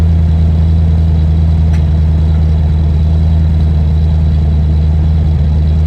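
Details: Land Rover Discovery 1 3.9 V8, first start after about 18 months sitting, oil pump primed: deep, steady idle with heavy booming drone, nothing rattling on top; loud because the centre silencer section is missing.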